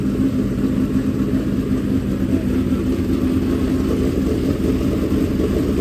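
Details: Fresh dirt-track race V8 after first start, in break-in at a fast idle to build heat and seat the bearings: a deep, even rumble with no misses or knocks. Normal running.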